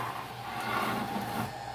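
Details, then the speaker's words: Realistic 12-650 AM-FM radio, after battery-terminal and control cleaning repair, on AM at night: constant buzzing hum over static drowns the station, suspected switch-mode power supply interference. "get so much interference from some kind of switch mode power supply that I really can't get much just I get like this constant hum"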